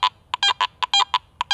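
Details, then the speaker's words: Garrett AT Max International metal detector with iron audio on and iron discrimination at 35: clean high beeps as the coil crosses the target centre, with rougher, longer iron grunts flanking either side as the coil comes and goes. This is the iron grunt flanking the target signal. "there's some flanking iron sounds if I'm dead centered on it it still sounds okay but as I'm coming and going I can hear that iron grunt on either side of the target"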